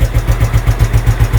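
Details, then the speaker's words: Scooter (SP 110c) that was hard to start, especially on cold mornings; carburetor cleaned inside and out with its jets. After the repair it starts on one press and idles with a steady, even putter, no misses or knocks. "Yan po one click na po siya andar na"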